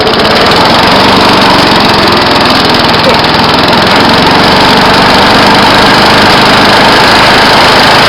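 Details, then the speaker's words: Yard Pro mower after carburetor diaphragm replacement for a no-fuel problem, primer working: loud, even engine drone at steady speed with no misses or surging; running normally. "now i got the yard pro back together a little bit of gas in it sounds like primer's working i guess that's all i have to do to it let's see if she goes pot"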